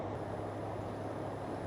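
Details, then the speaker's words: MrCool Universal heat pump outdoor unit, self-installed, after earlier breaker trips traced to GFCI: compressor clicks on and keeps running with a steady low hum, light buzz and slight high pitch, unit vibrating a little, without tripping. "All right, I hear it running. It's kind of a high pitch, and this guy is vibrating a little bit, so I think something's going on."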